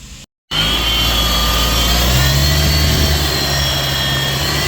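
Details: Mitsubishi Montero Gen 3 4N15 diesel, belt and tensioner bearing already replaced: loud running with a steady whining hum over the engine note; owner first suspected turbo.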